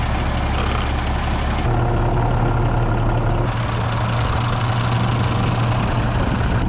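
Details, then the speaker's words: International DT466E dump truck diesel just after replacing the failed #2 injector, whose tip had broken off; the hand primer never got hard: deep, steady rumble with no stumbles, knocks or rough patches; normal smooth idle. "it sounds like it's running smooth though"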